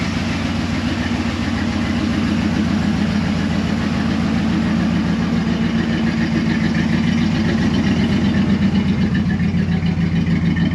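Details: 2004 Dodge Ram 1500 SLT: steady low idle pulsing about three to four beats a second, no ticking from the front, so timing chain seems fine despite a mechanic's claim; cam position sensor code cleared, sensor to be replaced if it returns.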